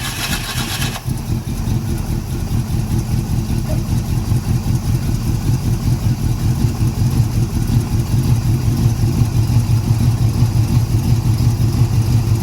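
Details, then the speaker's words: 1981 Oldsmobile Cutlass 403 V8 started for the first time in two years, quarter tank of fuel: engine catches at a low, uneven idle that smooths as another cylinder picks up; owner unsure it is getting fuel. "Another cylinder. I don't know if you can hear it, but it started smoothed it out."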